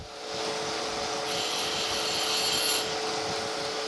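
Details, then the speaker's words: Surface grinder with a freshly changed wheel being dressed true with a cluster diamond on a fairly coarse pass: steady even hiss as the dresser crosses, earlier skipping gone, much more even now; the wheel is running true. "i can actually hear it it still kind of skipping a little bit so come back across it again much more even now"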